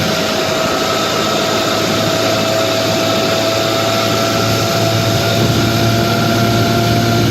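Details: 1955 Johnson QD-16 outboard in gear at high speed: steady high-pitched buzz with no misses or knocks, running well; still hard to start in neutral and idles poorly at low speed.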